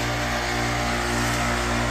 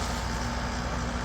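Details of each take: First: Amana AC condenser starting to freeze up: steady electrical hum of the compressor running alone, no fan airflow; condenser fan not running, usually due to a failed fan capacitor. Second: Amana AC condenser that had been freezing up, after replacing the failed fan capacitor: fan now at full speed and compressor at full capacity, a steady low whoosh with no humming like before; fixed and healthy.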